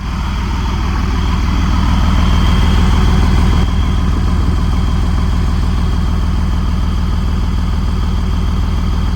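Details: Huge diesel pusher RV at auction yard: steady, even low diesel rumble at idle with a regular firing beat, no knocks or misses; normal idle.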